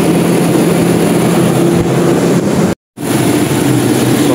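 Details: Toyota Revo, cold start, after replacing belts, AC tensioner bearing, power steering tensioner bearing and another bearing to cure squeak with AC on: steady even engine hum, no squeal or chirp from belts; normal cold start idle.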